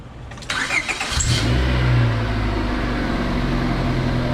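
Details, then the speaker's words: Car starting after a compression test, with the fuse and fuse box cover reinstalled; car had no fault: brief cranking, catches cleanly, settles into a steady, even idle with no knocks or misses; normal start and idle. "So obviously we did something right. The car started, it runs good, so we know we put everything together the way it was."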